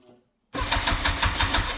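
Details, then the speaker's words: Yamaha FZR1000 Genesis motorcycle, long stored, cranked with the fuel tap shut: the starter turns the engine in quick, even pulses but it never catches, as no fuel is reaching it. "I should probably turn the fuel on. What's it on? I think it's on off. No, it's on off."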